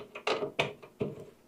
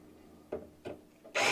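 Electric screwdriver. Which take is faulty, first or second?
first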